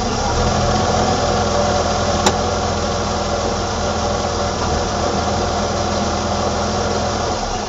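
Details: 1987 BMW E28 520i, M20 2.0-litre inline-six (129 PS), nearly 400,000 km, now running excellently; recorded on a phone with good low-frequency microphone; smooth, even idle with steady low drone, no misses or knocks; normal idle.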